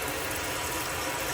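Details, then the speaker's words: Autoquest 160 motorhome water pump switched on, hot water drawn through the sink tap to fill the boiler; steady even rush of water with smooth pump underneath, no sputter or air coughed out; pump healthy. "so i can see right now the water's coming through nice and clearly and there's no air being coughed out anywhere there's nothing nasty happening at all"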